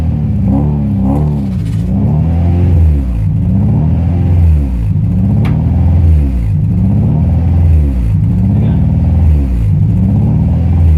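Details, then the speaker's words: Honda Prelude H22: idle rises and falls about every two seconds and never settles, an idle surge from a vacuum leak at the intake manifold gasket. "as you can see the idol does not stop bouncing this it is really annoying"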